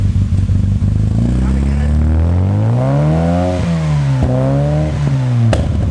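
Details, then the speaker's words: Classic car with SU carburettors, first runs after full rebuild and engine refresh: idle surges and sags every second or two. Hunting idle, mixture suspected weak, needs carburettor tuning. "now it's running and I'll just need to try and work out why it's not quite either very well it's hunting a bit something in the mixed is weak"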